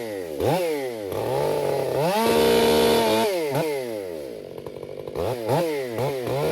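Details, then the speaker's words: Krafterized Husqvarna 562XP Mark II chainsaw, warmed up, cutting oak: blips up and down, then holds a steady high scream at full throttle with no burble or four-stroking; clean, healthy running. "So, it's delivering fuel off how the motor runs. So, you know, it's just it's hard for me to explain. I'm no mechanic. I don't really care. This all runs good is what I'm getting at."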